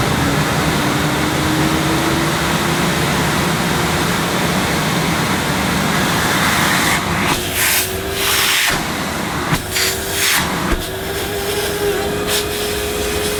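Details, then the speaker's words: 1998 Hoover Alpina Filtra vacuum cleaner with electronic speed control, first switch-on after unboxing: loud steady motor hum with a strong airy rush and bumps as the hose moves; normal running, far from the advertised silence. "yes that sounds like an Alpena should sound as who've advertised the machines the power of Silence can you believe not very Silent not really very quiet"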